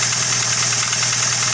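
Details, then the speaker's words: Toyota Avanza idling, sound heard at front of engine: rough steady metallic chatter over the idle; worn timing chain needs replacing, timing cover to be opened. "yo yah ene Avanza suaranya kasar harus ganti timing chain ya"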